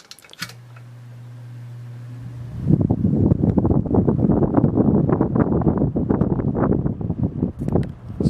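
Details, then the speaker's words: Early-1970s Torcan 1091 box fan, 180W, started on low speed: steady low mains hum as the motor drags itself up to speed with audible coil struggle, then wind rush takes over; sluggish, straining start. "this motor doesn't do that so I'm not sure if you can you can definitely hear the coil struggle when it starts"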